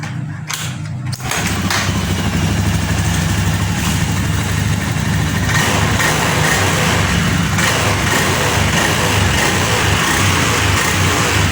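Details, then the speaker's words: Honda Beat eSP FI scooter after repairing TPS wiring that caused stutter at full throttle and MIL blinking 8 times: kick-started after a couple of kicks, settles into an even, steady beat with no stutter; running normally. "oke teman-teman masalah kedipan Del sensor TP ketika gasp di sini sudah hilang dan motor sudah tidak berebet lagi sudah normal"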